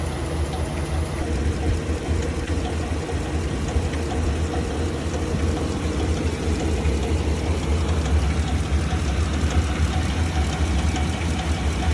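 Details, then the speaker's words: 2015 Chevrolet Silverado 2500HD, wrecked auction non-runner, warmed-up idle loudest on one side: rough running with an uneven clunk and light tick about once a second, whole truck shaking. Previous owner says the engine is bad; source not yet found. "We let the truck warm up right now, and on this side, you can hear the most of the sound. It's like a clunk and a tick."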